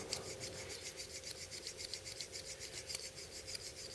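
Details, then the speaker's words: BL06 folding knife, new out of the box, stiff due to detent issue: quick gritty dry scrapes about three or four a second during rapid open-close to speed wear-in before lubing and pivot tension check; dry stiff pivot. "But if you get a stiff one, you can basically just do this."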